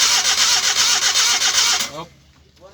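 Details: Suzuki DA64W crank, no start: the starter spins the engine about four turns a second for about two seconds, then stops without catching. Cause suspected, not confirmed.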